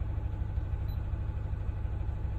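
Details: Car with check engine light: uneven lumpy idle with rocking low pulse, engine shaking; misfire from a failed ignition coil, coil and spark plug replaced DIY.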